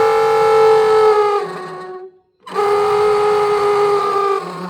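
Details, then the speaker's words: Truck blower motor wired directly from battery, bypassing relay: high steady squeal over the motor's whir, dropping out briefly and returning. Blower works but bearings squalling; motor to be pulled and cleaned. "It definitely works. But she's squalling. Yes, sir. So, um probably going to pull this motor out."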